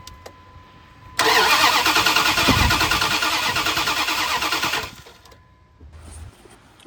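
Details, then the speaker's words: 2001 Dodge Dakota 5.9 L, crank-no-start after customer's DIY water pump; fuel pressure confirmed, spark tester shows no spark; starter spins engine evenly about three times a second for several seconds but never catches. "So, no spark. No sparky spark."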